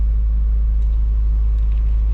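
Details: Truck after transmission rebuild, idle set screw adjusted higher, in slight high idle mode: steady, even low rumble with no misses or knocks; idles smoothly, a touch high, healthy.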